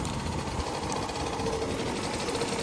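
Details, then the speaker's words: 1983 Honda Aero 50 scooter, two-stroke, just running again mid-restoration: fast, light rattling tick over a buzzy idle, like a sewing machine; head suspected, but the head stud bolts feel tight, cause unconfirmed. "because we do hear a little bit of a rattling noise coming from somewhere, and I just want to make sure it's not the head itself."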